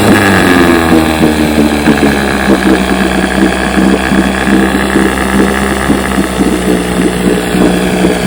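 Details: Fully restored 1958 Johnson 7.5 hp two-stroke outboard, barrel test without silencer fitted: steady even buzzing at constant speed, no misses or rattles; runs great, idles down with a sweet purr, normal running.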